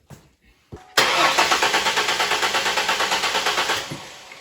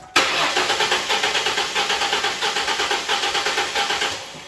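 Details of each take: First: 2001 Mustang V6 cranking without starting during a compression-rhythm check before the plugs are pulled: a brisk, perfectly even starter beat. No cylinder sounds much lower in compression than the others. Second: 2001 Mustang V6 cranked with one spark plug removed during a compression test: starter at about six pulses a second with an uneven, limping beat, demonstrating how low compression in one cylinder sounds.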